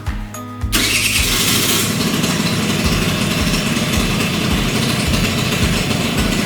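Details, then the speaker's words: 38-year-old Honda Vision (Elite) two-stroke scooter after choke bypassed, before carburetor adjustment; catches after short crank and settles into a steady, even buzzing idle without stumbling, sounding much better than before. "that's already sounding a hell of a lot better isn't it ain't it"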